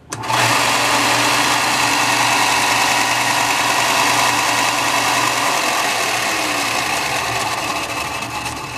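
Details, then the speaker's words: New Shop Fox W1855 benchtop belt sander started by plugging it in with the switch already on. The motor snaps on and settles quickly into a steady, even hum with no grinding, in the correct direction, so the start is normal. The owner hears a possible click, perhaps a starting coil. "Seemed to start just fine and in the right direction."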